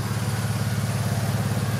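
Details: At idle: a deep, loud, even, throaty exhaust rumble with no knocking. The muffler is blown and the engine sounds fine, even though the seller's son claimed it needed a new engine.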